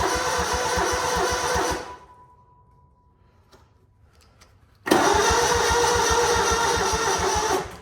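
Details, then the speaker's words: Lawn-service equipment left sitting outside on a cold winter day: starter turns slowly and labours at about four beats a second, with a second sluggish attempt; owner thinks the battery is going and plans a trickle charger. Slow cranking from weak battery. "See, and I think the battery's going because it's sitting out here. So you hear that? Battery's going."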